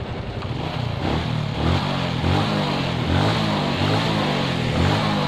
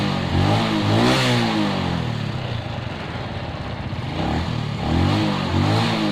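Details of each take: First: Suzuki Shogun 125 with shorted CDI, running on the old CDI with the battery removed: lumpy idle swelling and sagging about every second, idle not steady enough; CDI suspected shorted. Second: Suzuki Shogun 125 after fitting a Suzuki CDI: starts normally on both electric start and kick start, revs cleanly and smoothly with throttle, no misfire.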